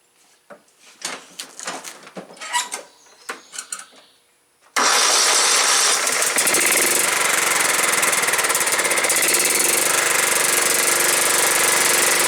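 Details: John Deere STX38 lawn tractor, Kohler Command 13 hp, previously not running, mouse nest cleared: a few clanks, then the single-cylinder catches and holds a fast, steady, even beat with no misses.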